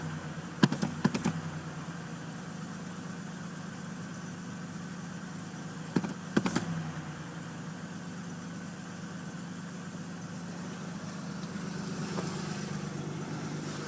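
Steady low idle with an even beat and a few brief clicks early on; the engine settles and runs smoothly after sitting.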